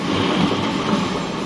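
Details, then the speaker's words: Honda PCX scooter rear clutch/belt drive after a bearing replacement for a loud noise: steady, even running hum with no grinding, rumbling or ticking; the drive now runs quiet, the noise having come from the bearing, not the final gear. "เปลี่ยนลูกปืนเรียบร้อยมาฟังอาการเสียงแหบเดี๋ยวบัวลอยดูเงียบเลยนะครับเนี่ยเห็นไหมมันยังหมุนเนี่ย"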